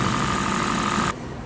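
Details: Honda Fit GP5 with code P0301: uneven, lumpy idle under a steady whine with a faint irregular stumble; cylinder 1 misfire.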